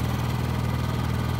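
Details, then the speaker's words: Honda EU7000is inverter generator powering the house and a 2-ton central air conditioner: steady, even low drone, no knocks, surges or rattles; running nice and quiet, normal under load. "and it runs through nice and quiet powers up my house"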